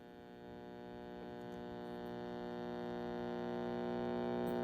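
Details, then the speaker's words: AA5 tube radio powered up slowly on a variac to about 70 volts: a loud, steady, low buzzing hum that swells as the set warms up, with no program sound; excessive hum, thought to be an easy fix. "All right, so it works. It just hums a lot. That should be an easy fix, but you know what?"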